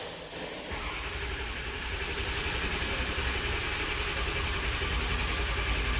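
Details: 2006 6.0L Powerstroke with 139,000 miles, cranking after a new IPR was installed for a high-pressure oil leak: steady, even cranking that never catches while the air purges. Crank no start from low injection control pressure.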